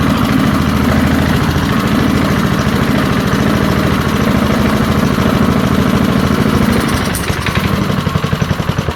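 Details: Early-1970s BF Goodrich push mower, a barn find that sat for years with a seized engine, now freed and running outdoors after carburetor diaphragm work: a loud, steady single-cylinder putter at constant speed with no misses or knocks. Normal running.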